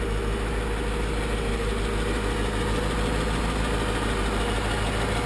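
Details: AMG Mercedes cold start after 6–8 months winter storage on a charger: steady, even idle with a smooth low rumble and no knocks or ticks; running healthy.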